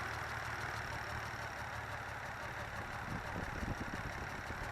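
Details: 1985 Toyota Celica Supra MKII rough idle, with long cranks on cold start, fine above 1000 rpm, no white smoke, and gassy exhaust; unplugging the throttle position sensor smoothed it. Uneven lumpy idle with irregular low thumps.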